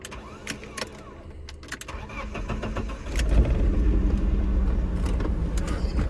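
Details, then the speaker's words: BMW E36 with a misfire, sputter and limp mode appearing once warm, first start in two days: quiet cranking, then it catches into a slightly uneven, lumpy cold idle, rougher than usual already; rough cold idle, cause not yet pinned down. "just a cold start it's actually I don't know a little bit rougher than usual already"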